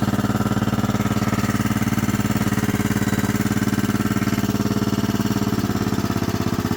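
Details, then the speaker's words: 1998 Kohler Command 16hp riding mower, a slight oil burner, cold after sitting since July of last year and smoking: steady single-cylinder thump near two beats a second with dry metallic clatter on each stroke. Cold engine clatter that owner expects to quiet once warm. "you can hear she's kind of clanky it does that when it's cold and or it's been sitting a while so we'll let it warm up get some oil moving through and it should quiet down"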